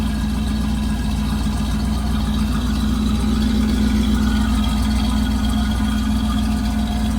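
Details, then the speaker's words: Big-block rat motor with forged pistons in a long-stored Camaro project, just started after oil in cylinders: loud, throaty, fast steady idle with low drone and no dips; idle sits really high, owner unsure why. "seem's like a happy rat motor W that's loud thing throaty damn"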